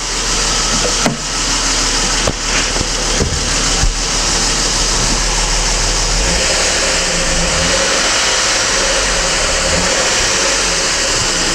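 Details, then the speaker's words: BMW E39 with M52 petrol engine, hood open, idling and revved with loud busy metallic clatter from the top end: heavily knocking hydraulic lifters, due for replacement; oil pressure light goes out after three seconds. "капот открыт то есть и какой звук очень сильно стучат гидрики попробую дать газу"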